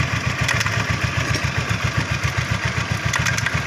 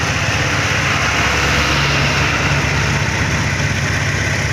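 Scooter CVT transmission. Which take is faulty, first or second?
first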